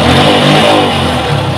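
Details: Yamaha Vixion Advance after repair of a rattling, clattering engine noise, radiator and coolant reinstalled: a short, clean throttle blip rising and falling evenly with no rattle or clatter; normal running.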